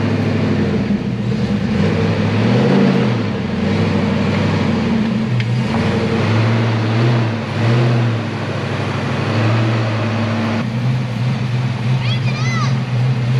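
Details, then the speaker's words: Car engine after its oil filter fell off while revving at 6,500 rpm, first startup after refitting: runs smooth and steady through light revs and reversing, oil pressure good, no knocking or ticking; engine survived. "yeah it just sounds good sounds good good this is great guys i'm really yeah there's no knocks or anything"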